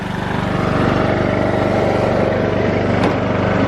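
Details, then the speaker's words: Old lawnmower's small engine, running for the first time in years after a carburetor clean, fresh gas and a jump starter. Steady regular putter at constant speed with no misses or hunting; running properly. "all right guys as you can hear she is up she is running"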